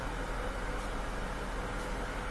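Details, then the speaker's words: Bosch washing machine in diagnostic test mode, hot water inlet valve test: steady even rush of water with a low hum, normal fill. "look in to the left side. It should be the hot water. Yeah, it looks good. Perfect."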